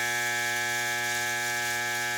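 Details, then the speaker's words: Pressure washer electric motor energised but not spinning: steady buzzy hum with no spin-up; motor stalled due to failed (burnt) start capacitor, and leaving it humming long may burn the motor. "para vocês ver que o motor não tá funcionando ele tá fazendo o barulho mas não tá funcionando"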